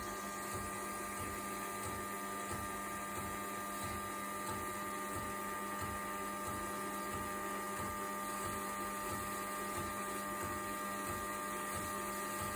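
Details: DeLonghi ECAM 23.266.B coffee machine drawing milk: a steady high mechanical whine with a rough, pulsing rattle about 1.5 times a second. The same noise occurs when flushing the milk tank; cause unclear.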